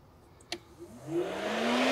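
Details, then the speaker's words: 2002 Mini Cooper S R53 cooling fan test on speed two with the speed-one relay removed, after an overheating fix for a seized fan bearing. The relay clicks, then the fan whirs up steadily to full speed. Normal operation. "as as you can see is working it's click so i don't know if is in case the speed one fails it it knows and activates speed two"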